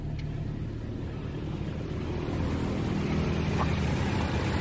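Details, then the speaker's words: Toyota Kijang Innova petrol engine at idle during pre-purchase check: smooth, no shaking, light even tapping rhythm that neither rises nor falls; engine judged still good. "lihat mesin hidup, halus, tidak ada goncangan sama sekali. Ketokan mesin juga halus. Tek tek tek tek tek. Jadi dia iramanya itu sama, tek tek tek tek tek. Jadi dia tidak naik, tidak turun. Berarti menandakan mobil ini mesinnya masih bagus."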